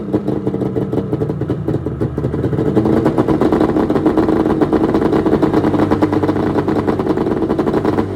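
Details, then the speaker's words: 1996 Arctic Cat ZRT 600 two-stroke snowmobile, cold start after fuel pump rebuild, fuel shut off overnight: crisp crackle catches and runs, then a few clean revs without misfire; normal cold start and running. "Today I'm gonna give it a cold start. Shut the fuel off yesterday, turned it back on today."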